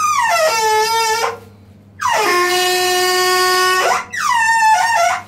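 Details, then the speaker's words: Combi boiler water fill tap while filling: loud horn-like hoots in bursts, pitch sliding down as water rushes in; the fill valve is faulty, and replacing it stops the noise. "Su doldurma musunuz değiştirdiğiniz zaman Su doldurma Musa gelen basınç bu sesi veriyor"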